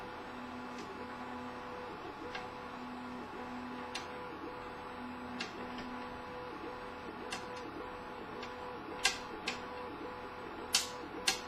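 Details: CTC 3D printer during printing: stepper motors whine in a patterned hum, broken every couple of seconds by sharp, irregular knocks coming from the top right corner of the printer. The cause is unknown.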